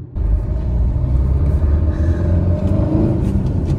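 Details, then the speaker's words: Tata Nexon while driving: low droning helicopter-like hum over road rumble, rising with speed and louder on turns, also heard in neutral; worn front wheel bearing, before replacement. "तो कुछ time से मेरी गाड़ी में आवाज आ रही है एक जो कि स्पीड डिपेंडेंट है जैसे ही स्पीड बढ़ती है वो तेज हो जाती है साथ ही टर्न्स पे भी वो आवाज तेज हो जाती है"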